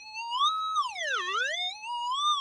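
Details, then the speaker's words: Minelab SDC2300 metal detector at start-up, threshold tone on the highest of its two pitch settings: a clear high whistling hum that glides smoothly up and down in pitch. "now the sdc has two threshold tones or two humming tones the best best way to explain it so this one is in the highest pitch setting"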